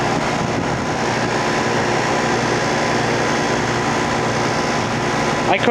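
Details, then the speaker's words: Rheem Classic central air conditioner, first startup of 2016 on a warm day, heard from a distance: steady low hum with even fan rush, no clanks, rattles or knocks; condenser started and runs normally. "I did sort of hear the start up and it sounded absolutely golden to me from where I was. So, it looks like that one works pretty nicely."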